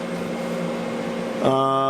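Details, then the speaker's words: Fantastic Fan roof vent fan newly installed on a 4x4 pop-up truck camper, running to pull in the canvas: soft rushing hiss settling into a steady even hum with light whine; very quiet normal running. "And when I installed it right away, I noticed that the noise level on this was very low compared to the one that I saw."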